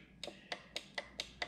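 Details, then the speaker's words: Neato Botvac D7 robot vacuum throwing a bumper error, bumper microswitches pressed by hand: seven crisp, clean clicks, with the front two switches working well. The side switch needs a hard push, and dirt collects under the bumper. "i'm going to be quiet and click and you'll notice the front two work really well i need to get it from this side you can hear that switch"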